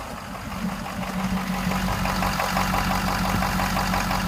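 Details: 2015 6.7 diesel at idle with an engine knock of unknown source: a rapid, fairly regular knock of roughly three per second rides over the diesel clatter.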